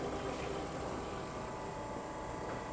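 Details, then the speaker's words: Old GE Monitor Top CK-2-C16 refrigerator with rebuilt sticker, after about 5 minutes running, evaporator frosting, water drops frozen, high side warm: steady even running noise, no knocks or stumbles; declared a runner, working normally. "So yeah, that's a runner. Now, if the cabinet's restorable, that would be kind of nice, but at this point in time, I'm just happy to see the machine working."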